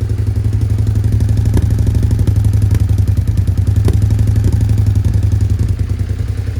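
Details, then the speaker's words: Suzuki SV650S V-twin after carb cleaning, airbox refitted, before multimeter adjustment: lumpy, uneven idle with sharp pops every second or so; idle still rough with popping. "popping so the idle is still a little bit rough"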